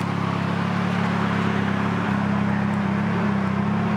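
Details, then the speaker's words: 2006 Nissan Sentra SE-R Spec V, built turbo four-cylinder (GT35R, e85 tune), idling after a machine-shop rebuild and reinstall: smooth, even drone with a steady low hum and no knocks or ticks; sounds healthy. "But everything else is working. Car sounds good. That's about it though."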